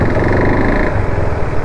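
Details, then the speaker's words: KTM RC 390 single-cylinder after timing chain, head, bore, clutch cover and other gaskets replaced and coolant leak fixed, during break-in: even thumping at fast idle, clean low beat, earlier rattling noise gone; engine sounds normal. "ನೋಡಿ normal ಹಳೆ KTM sound ಬರ್ತಾ ಇದೆ ಅನ್ಸುತ್ತೆ ನಿಮಗೆ observe ಮಾಡಿದ್ರೆ ಮೊದಲು ತರ ಒಂತರ ಗಡ ಗಡ ಸೌಂಡ್ ಜಾಸ್ತಿ ಇಲ್ಲ"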